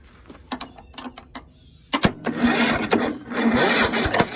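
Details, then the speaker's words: Toro Z4200 TimeCutter 54" zero-turn, once underwater in a hurricane and parked about 2 years, starter jumped with a screwdriver due to bad solenoid, choke on: clicks then uneven cranking churn, no firing; cranks but won't start. "There you have it. Just turning over. So now get the thing ready, the choke on. Right. All right. That's not looking promising."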